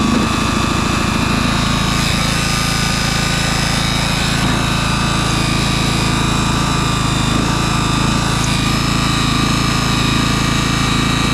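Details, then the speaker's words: 2004 MTD Yard Machines Gold lawn tractor with a replacement 38-inch deck, not started in months and jump-started. Deck engaged with no blades fitted gives a steady engine drone with an odd, hollow whir and no cutting. "yeah I kind of forgot there's no blades so that's why it sounds a little weird and that's why it's not cutting there's no blades down there"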